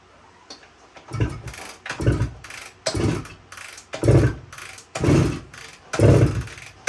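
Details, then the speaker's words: 1972 Suzuki TS185, fuel valve on, key on, some choke: about one kick a second, dull thud and crank churn, never fires; compression test still very low even with head gasket ring in, owner suspects worn rings. "so I'm not having any luck getting this thing to run uh so I decided to run another compression test here and looks like we're still really low"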